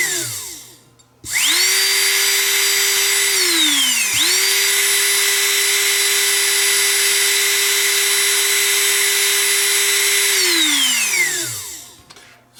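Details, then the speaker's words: DeWALT cordless leaf blower motor removed and run on external bench power at 20 V drawing 2.4 A: spins up cleanly to a steady high whine, then winds down smoothly; motor fine, fault suspected in controller or battery. "20 volts uh 2.4 amps like the motor is fine we have a problem in either the battery controller or the controller itself"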